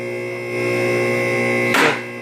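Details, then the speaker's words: Automotive lift after adjusting the synchronizing nut: steady motor hum then one crisp clack as both safety locks drop together, engaging evenly in sync. "They're clicking together, right?"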